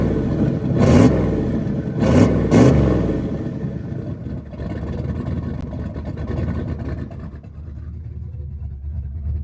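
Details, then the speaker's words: Small-block Ford turbo 383 V8 after new rocker arm install fixing a metal-on-metal tapping, warming up, timing not yet set, slight exhaust leaks: a few quick blips then steady idle with no top-end tapping; healthy. "the tapping is gone it was like a metal on metal tap so I'm happy with it"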